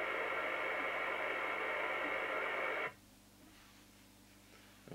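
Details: 1981 Audioline PT340 27/81 CB radio (Uniden chassis), squelch set to threshold with signal generator off: steady loud hiss about three seconds, then near silence as squelch closes; normal receiver noise at threshold.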